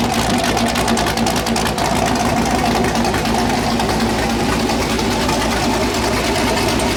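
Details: First start of a freshly built 408 LS stroker V8 on a new ECU, air-fuel around 13.3 and owner suspects a touch lean: loud choppy idle with an uneven loping beat through open headers from the big cam; nothing mechanical stands out.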